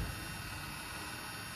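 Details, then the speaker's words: 2015 Lexus NX200T electric parking brake actuator unplugged and fed 12 V directly, ignition off: steady, even motor hum with no grinding or stalling as it retracts the piston until it stops; normal actuator operation. "all right so right now the motor is working and releasing the cylinder"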